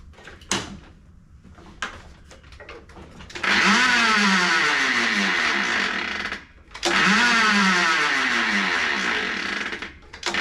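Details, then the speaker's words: Toro 22in Recycler push mower with electric start, brought in as a non-starter: each starter pull gives a whirring, wind-up-toy sound with no compression beats, pointing to a broken connecting rod; bendix hang-up first suspected. "sounds like you're trying to wind up a toy or something like that when you're when you're pulling on this"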